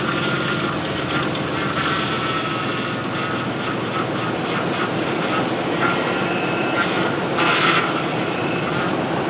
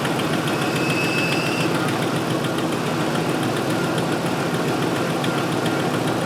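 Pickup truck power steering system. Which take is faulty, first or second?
first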